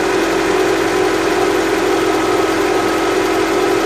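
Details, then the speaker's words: Honda CR-V just started after major service (oil leaks fixed, valves adjusted, coolant hoses replaced), warning lights off; a steady, even hum with a mild mid-pitched drone, no knocks or ticks. Normal idle. "it's nice and quiet all the warning lights are off let's go listen to it"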